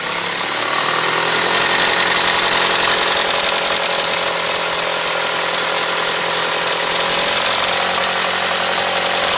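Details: Engine with a harsh metallic rattle, like two metals knocking together, in uneven beats about three to four per second, heard only between 1500 and 2000 rpm; it turned out to be the timing belt tensioner.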